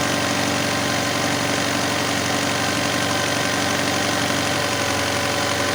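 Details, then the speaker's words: Alfa Romeo 156 Twin Spark idling at about 2,000 rpm, down from the reported 4,000 rpm, with a loose cable letting it rise a little; steady, even but fast idle that never settles. High idle from a faulty throttle-body idle control actuator. "yeah well it's not not 4,000 anymore just 2,000 well we had a problem on the okay cable came loose the cable just came loose over there"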